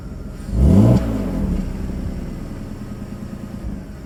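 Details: BMW E39 petrol engine blips quickly and returns to a steady idle, clean without misfire, after replacing a clogged catalytic header that had caused misfire and lean codes.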